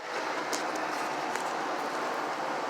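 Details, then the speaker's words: Chevy 6.0 LS V8 running with leaking exhaust manifold on driver side, a bolt missing/broken at the back; steady fast raspy puffing, hissy chuff of exhaust leak; fix planned: broken stud removal, new bolts. "but the exhaust manifolds are leaking there's a bolt that's missing in the back"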